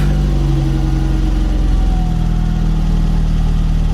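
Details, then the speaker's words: VW Mk1 Golf Cabriolet, cold first start after an engine swap and 5-speed manual conversion, with choke reduced while warming up. A steady low idle with a slight lumpy pulse and no clean even beat. Runs a bit rough and the owner thinks it needs tuning. "Let her warm up. Oh no. Sounds like we need to tune her a little bit."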